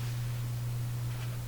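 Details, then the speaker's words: Canadian General Electric A55Z tube radio with #41 output tube, after fitting two new capacitors: loud, constant low hum around 120 Hz from the speaker; cause not yet found. "Now I don't know if you can hear that hum. I mean, it would depend upon your own sound system, but there's quite a pounding hum coming out of that speaker over there."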